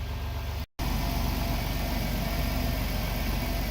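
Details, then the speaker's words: Van idling about 20 seconds after start for a battery and alternator test with a multimeter; battery is of doubtful quality. Steady, even idle with a smooth low rumble and no knocks, misses or whine. Charging reads a healthy 14.4 volts. "so let's start this thing up and see what we get just started the van up i've let it run for maybe 20 seconds now"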